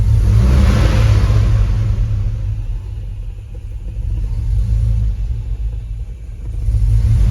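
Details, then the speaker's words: Hemi-swapped Grand Wagoneer warming up: deep V8 idle sags and lopes lower before recovering, better than before when it died; suspects include intake air temp and oil temp sensors, multiple cylinder misfire. "Starting to kind of idle down some."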